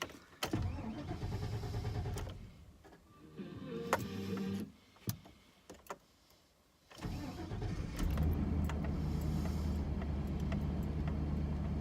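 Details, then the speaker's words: 1998 Chevy pickup after replacing the factory fuel pump with an aftermarket one: a few clicks and a short pause, then the engine catches cleanly and settles to a steady, even idle; starts normally. "It's pumping fuel. She's running, folks. Success."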